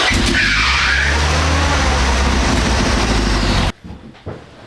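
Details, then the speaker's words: Isuzu Amigo fitted with parts from a 1988 Trooper II donor, run for the first time after fuel tank relocation. It runs rough with a lumpy beat of about three pulses a second, then cuts out. The exhaust leaks with fire visible at the manifold, and a timing issue is suspected. Charging rose from 12.3 to about 13.8 V. "Does sound like a little bit of a timing issue there."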